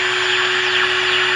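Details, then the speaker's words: Sylvania AA5 radio on the bench via isolation transformer and variac, tuned to 1450 kc for alignment: steady high whine over the hiss, unaffected by tuning, coming from the arbitrary waveform generator's standby, not the radio. "by the way you hear that sound going that is actually coming from the standby of my arbitrary waveform generator ask me how long it took to find that one"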